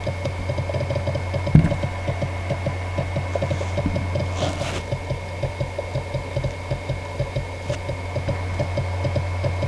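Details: Seagate Backup Plus 8TB ST8000DM004 hard drive at idle: steady hum under quick regular soft knocking, about three taps a second; quiet while copying files, knocking returns when paused; laying the drive down may reduce it.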